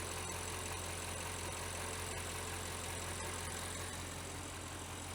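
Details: Audi 4.0 twin-turbo V8 idling with the hood up after a spark plug replacement: even, low idle hum with a light, regular valvetrain tick and no misses or stumbles; normal idle.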